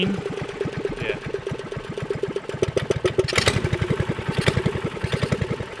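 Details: Subaru Robin 9hp single in a Yerf Dog off-road go-kart, warming up: an uneven, hunting thump with spinning and sputtering. It is suspected to be running lean; the needle clip is to be moved for more fuel.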